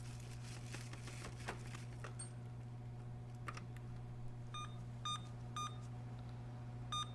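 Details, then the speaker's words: Emerson Elite SX386 386SX PC with replacement SIMM RAM fitted, after a new Dallas RTC and Cyrix FasMath co-processor: three short evenly spaced power-on beeps over a quiet hum, believed to be a memory error code. "all right now that seems like that's three short beeps which i thought was ram"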